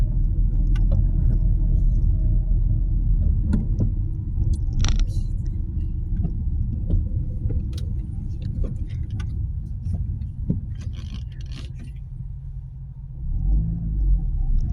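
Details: Nissan Qashqai 1.2 after fixing a rattling, buzzing noise: steady low engine rumble with no rattle or buzz on top, smooth and even; running normally.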